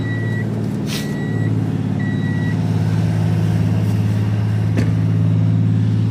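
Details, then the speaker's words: 1994 Honda Acty Town (as the owner recalls), cold start: catches on first crank, then a low, even idle rumble that settles and holds steady, outside reversing beeps early; normal cold start idle. "Let's start it up so you can hear. Cold start for it. Wow, first click right away."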